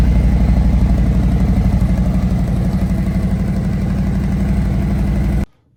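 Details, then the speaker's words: 2018 Harley-Davidson Road Glide Special Milwaukee-Eight, stock before cam, exhaust and intake upgrades: deep even loping thump at idle, about four beats a second, no knocks or ticks; a healthy stock V-twin. "Let's give this bike a start so you can hear what it sounds like stock without cams and without the exhaust."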